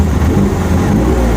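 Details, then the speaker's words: 1991 BMW E30 318i, 1.8 L inline-four drift car, which stalled after starting following a cold air intake install: after cleaning the MAF and idle control valve it starts nicely, deep even idle with a steady beat, no stumbling or hunting. "I'll go ahead and start mine for you guys so you can see how it starts up nicely all right as you guys can see it's idling pretty nice now"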